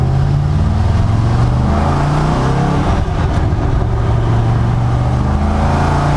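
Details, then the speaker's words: 1974 Corvette V8 after carburetor tune including float height, on first successful cruise, warm after a couple of hours running: deep steady pull under throttle, raspy edge from about 3000 rpm, even firing, no misses; running clean and strong. "i gotta get a camera on that rear bumper and just get some exhaust notes with this thing because it sounds so so good as soon as it gets in like the 3000 range the rasp comes out oh my god oh that sounds so good"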